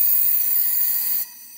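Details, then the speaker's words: 6.0L Power Stroke (2005-2007) high pressure oil pump on a bench air test, suspect pump not making high pressure oil: sharp steady hiss that cuts off abruptly, air leaking out the inlet side; leak varies with pump position. "so this is our suspect pump where we're just not getting high pressure oil see we're just coming out of that inlet side there you know"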